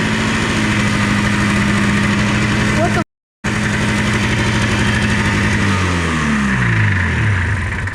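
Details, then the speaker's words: Revived old two-stroke engine, carburetor just fitted, no fuel lines hooked up, snowy cold conditions: catches on the first pull, runs with steady, even beat, briefly cuts out and picks back up cleanly. "That's impressive. There's no fuel lines or anything hooked up."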